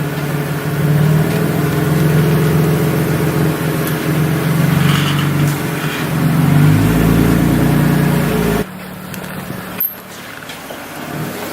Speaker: It's making a gnarly sound, but we don't know what it is.